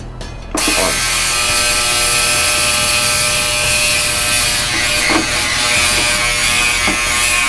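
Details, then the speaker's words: New Yescom 6L stainless ultrasonic cleaner, heat on and 30-minute cycle, tank at 21 degrees: harsh, loud, high-pitched buzzing rattle from start-up, vibrating; owner wonders if it's supposed to sound like that; cause unknown. "Wow, that buzzes a lot. Okay, really makes a racket."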